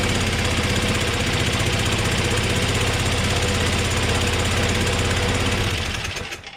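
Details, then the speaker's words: Small engine idling steadily with a fast, even single-cylinder putter and no misses, after starting right away on choke at high throttle with carb spray; it stalled once off choke; normal idle. "Beautiful. It started up right away. Good news."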